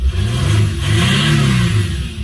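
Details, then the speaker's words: 2006 Mercedes CLK 320 3.0 V6 diesel (OM642) after repair for limp mode fault 2513-1: smooth rising drone pulling strongly through the revs, past former 3000 rpm limit, no hesitation or flat spots. "Obviously, I didn't show the test drive of the car, but like I showed in the beginning, it never used to go over 3000 revs, and now no problem whatsoever. Plain sea power."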